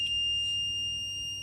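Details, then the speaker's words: Multimeter continuity test on the fuse of an eBay "untested" Nintendo DSi XL board, during repair of a botched prior repair attempt: a steady, unbroken high beep shows the fuse is continuous and good, not blown; the charge port is the likely fault. "Fuse is continuous. Check the EM10, also continuous."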